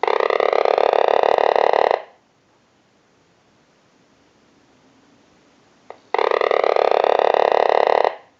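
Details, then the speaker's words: Vintage Frog novelty telephone during repair checkout, with ring cycles sent from a telephone analyzer: two-second bursts of raspy croaking buzz with a rising tone, separated by four-second pauses; ringer works properly. "We're also going to go ahead and move the Frog telephone back over to our analyzer, and we'll send a ring cycle like you were getting a call."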